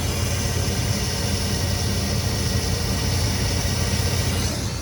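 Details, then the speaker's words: Long-sitting Square Body crew cab with a 4-bolt-main GM 350 V8, forgotten 12 years, revived with just a battery: a deep, even V8 idle with no ticks, taps or knocks. Runs perfect; normal idle. "Oh man, she runs perfect. No clicks, no taps, no knocks. Oh, she doesn't need anything. She just needed a battery."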